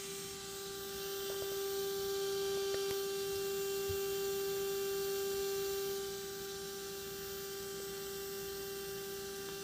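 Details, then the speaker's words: Mikron TH-5104 thermal imaging camera (about 1996), startup stage two: shutter spinning while detector cools, X mirror scanning; steady thin mid-pitch tone over faint hum with a few light ticks; normal. "so that's stage two of the startup process the shutter is now [Music]"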